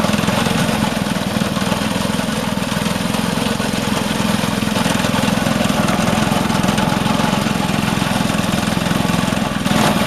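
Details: Vintage Craftsman 18" snowblower, rebuilt 3.5 hp Briggs single-cylinder, after carb fine-tuning: steady, even beat at constant speed without hunting or surging; running cleanly and healthy.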